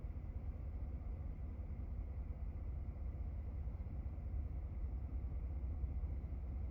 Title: 2017 F150 5.0 Rough Idle and Stall